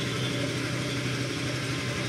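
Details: Used scooter, hand electric start, easy to start, idling with an even steady putter at constant pitch, no ticking, knocking or rattling; healthy, no repairs needed, only the speedometer faulty.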